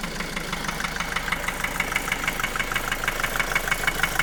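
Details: 2010 Opel Astra J 1.7 CDTI 125 HP diesel idling with a sharp, regular metallic knock about three times a second. It began after a clogged oil pickup strainer in the oil pan. Bearings were checked OK and injectors replaced without effect. The engine has power and is slightly quieter when warm.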